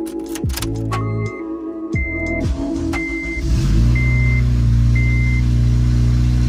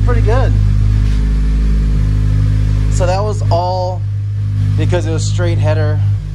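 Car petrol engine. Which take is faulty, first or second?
first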